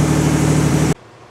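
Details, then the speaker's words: 1986 Cadillac Cimarron 2.8L V6 after major tune-up (EGR valve cleaned, distributor cap, rotor, ignition module, battery terminals): brief steady, even idle with smooth low hum, no misses or knocks; runs well, exhaust likely needs work. "now I can finally bring my car back in this one's running pretty good runs better than it looks"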